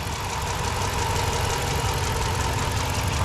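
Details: 2006 Dodge Magnum 5.7-liter V8, warm from a trip, after a K&N cold air intake install: deep, steady idle with an even low rumble and no misses, ticks or knocks; healthy warm idle.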